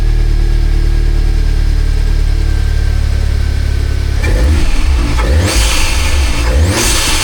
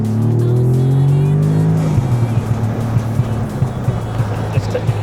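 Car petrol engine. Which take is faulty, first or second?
second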